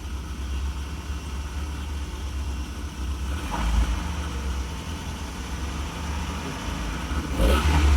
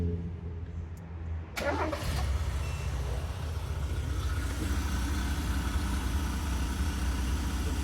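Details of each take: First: Mazda Bravo B2000 (2000) van converted to LPG with MCV carburettor system, high kilometres, after misfire fix (burnt valve suspected earlier): low, slightly growly idle climbing smoothly as revs rise, no stumbling or popping; runs clean. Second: 2000 Mazda B2000/Bravo van, carburettor engine converted to LPG, very high kilometres, running after the failed MCV carburettor valve that caused shaking and misfire: low, uneven idle with stumbles; some roughness, possible exhaust leak and hissing from the LPG converter.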